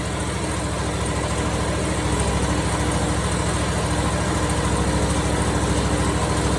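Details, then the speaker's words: Briggs & Stratton 27 hp V-twin on a Simplicity Prestige mower that had been backfiring and popping; after the Nikki carburetor was replaced with a Chinese carb it idles steady and even, with no misses, knocks or hunting. "Perfect idle. Everything looks good."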